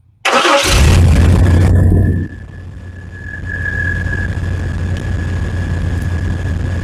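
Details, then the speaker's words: 1993 Chevy S10 2WD pickup, 4.3L V6 non-Vortec, automatic, after thermostatic fan clutch replacement: fires and roars loud about two seconds at first start, then settles to even idle with faint fan whir. Normal fan roar at startup. "probably can't hear the roar right now but I'm going to try to make it Roar and that Roar will go away somewhat it just does that when you first start it"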